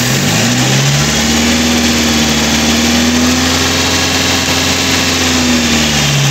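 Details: Chevrolet Spark after head gasket replacement and timing job, restarted: even idle climbing to a held rev and settling back, smooth with no knocks or misses; engine healthy.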